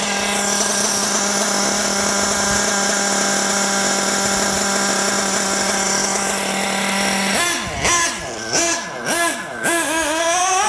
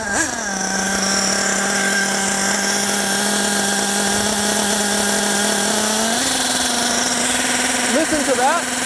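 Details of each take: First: Nitro RC buggy glow engine on high-speed passes after richening the high-speed needle: the pitch sweeps smoothly with no prolonged pinging and lots of smoke; earlier leaner passes pinged from running hot. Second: Nitro RC buggy (G8X) during low-speed needle tuning, warm: a high, thin, ringing idle that creeps higher as the low-speed mixture is leaned past the threshold. Pinging means too lean; richening brought the idle back down.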